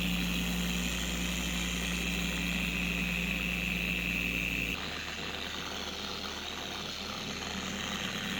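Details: A steady high-pitched scream over the whir of a four-year-old Carbon Collective DA polisher at higher speeds, which drops away when the speed comes down. The polisher also vibrates and wobbles. Worn, dried-out gear head grease, before regreasing.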